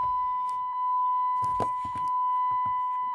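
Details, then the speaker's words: Ram 3500 Cummins diesel Mega Cab, in-cab: steady high beep with faint clicks while the grid heater preheats, then the engine fires right up; preheater working, no more white smoke at startup. "preheater still works. Truck fires right up."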